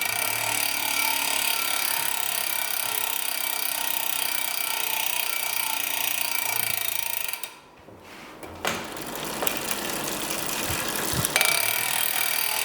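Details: Giant Liv Avail Pro 0 Di2 rear derailleur, shifted through each gear via the phone app after adjustment (set to 17 instead of 18): quick, clean electronic whirs and clicks, no grinding; normal shifting.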